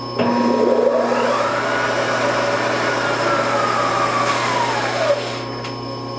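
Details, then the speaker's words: Supermax YCM-16VS Bridgeport-clone milling machine (Anilam Crusader M control) running spindle forward in low range: loud strained hum with whine rising and sagging, rough, burning smell; abnormal spindle gearing/timing belt drive noise. "i don't understand why low is no go that's awful there's something not right there"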